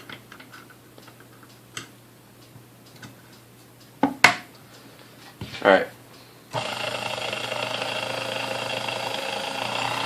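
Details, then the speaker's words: Vintage Sunbeam Mixmaster Model 12 stand mixer after service (it did not run beforehand), beaters fitted for the speed check: after handling clicks the motor spins up to a steady, even hum with no grinding; runs normally. "let me throw in some beaters in here so that we can actually see the speed I mean that sounded pretty good to me"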